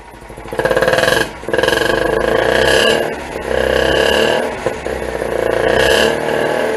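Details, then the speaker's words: Citroën M35 prototype (2 CV-derived chassis, single-rotor Wankel engine), hydropneumatic suspension raised to high position with engine running; steady pump drone in bursts and pauses as car rises; normal suspension pump operation. "Et voilà, on entend la pompe. Voilà, là, la voiture est en position haute."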